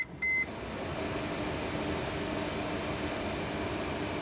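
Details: 2013 Mercedes Sprinter 3.0 L after replacing a shorted blower motor regulator that kept the blower on with the key off: a short beep, then a steady, even rush of air with no rattles. Normal blower operation.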